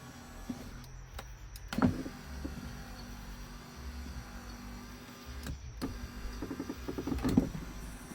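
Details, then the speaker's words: 2015 Lincoln MKX flood-damaged, window motor worked back and forth to revive it, now out of calibration: steady low motor whir with clunks at start and end of travel; window motor running again, needs calibration. "See what happens now. Oh, wow. Yeah, it works now."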